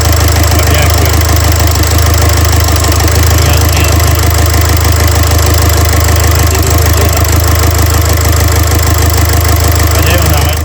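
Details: Renault Trafic 2 / Opel Vivaro van, M9R780 2.0 diesel with piezo injectors 0445 115 007, idling to warm up with cylinder 2 injector clamp removed for extraction: heavy uneven idle, hard regular knock about three times a second. Codes show a cylinder 2 injector circuit short and misfire.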